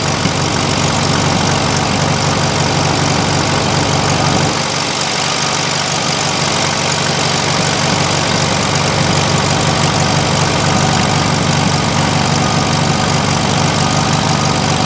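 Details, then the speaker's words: 1971 VW Super Beetle air-cooled flat-four; steady even idle around 1400 rpm without stumbling after loosening the idle jet; normal idle, it would not idle at all before this; timing and dwell not yet adjusted. "Absolutely was not idle before this."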